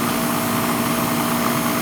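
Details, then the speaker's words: Old Goodman R22 central AC unit running: steady fan rush and compressor hum with a faint tonal drone, air not cold; gauge reads about 20 PSI, far too low, so the unit is low on refrigerant charge and cools poorly. "It ain't hot. It's probably low on charge."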